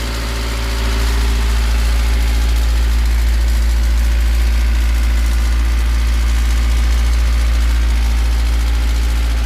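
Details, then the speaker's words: Toyota 4E/5E petrol engine at idle: metallic ringing tap about three a second from the cylinder head, not bearings, rods or crankshaft; sounds diesel-like and fades when revved; camshaft spring suspected. "звук такой как будто дизель работает в тоже время это не вкладыши ни шатуны ни коленвал звук идёт откуда-то от башки"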